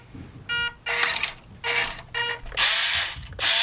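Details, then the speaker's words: WPL B-1 1:16 RC military 4x4 truck, stock steering servo, at power-on: short irregular bursts of high buzzing whine with ratchety chatter, weak straining servo; steering servo chatter, ESC and servo upgrade recommended. "That doesn't sound good. Not a very highly powered or high-powered steering motor."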